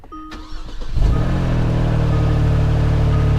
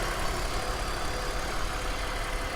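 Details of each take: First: Kia Stinger at an auction yard. The starter cranks briefly, then the engine catches and settles into a loud, uneven, rasping idle that sounds wrong from underneath. Suspected exhaust leak under the car, unconfirmed. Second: Vehicle at a Copart auction running at idle: very quiet, low even hum with smooth steady beat, no ticking or knocking; runs like a top, normal healthy idle.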